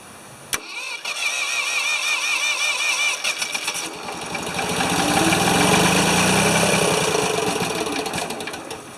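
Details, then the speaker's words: Free Ford 2600 tractor, fuel can nearly empty, fuel pump line cut and not sucking, plug wires popping off: cranks, catches and runs unevenly, surging and sagging; fuel delivery starvation, a fuel pump to be fitted. "definitely have fuel delivery issues it's just not it's not feeding enough fuel and we're probably about out in our can here too we are pretty much out of fuel but it runs"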